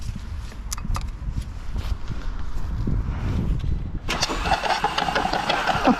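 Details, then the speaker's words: Mk5 Golf GTI TFSI engine being transplanted, filled with oil; seized hand-cranking, plugs removed: labored cranking frees into fast spinning, liquid spitting from plug holes. Hydrolock. "was just trying to crank it over by hand and it did actually just seize up but I feels like it could be trying to compress the liquid"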